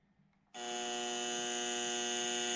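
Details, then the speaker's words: Link ECU on Toyota 1UZ-FE, idle control solenoid test-pulsed before setup at 120 Hz open loop: steady, even electric buzz at constant pitch; solenoid wired correctly and responding. "so we can hear that buzzing away we'll do that again here is it buzzing"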